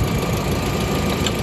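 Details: 1999 VW Passat 1.8T petrol estate after re-soldering the main relay: even, steady idle with smooth mid-pitched hum, no misses; no-start fixed.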